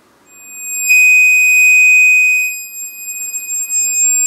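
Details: Repaired high-frequency dynamic tweeter (previously damaged by power abuse and bad filtering) on test: clean steady high tone without buzz, rattle or crackle; reproducing the test signal properly.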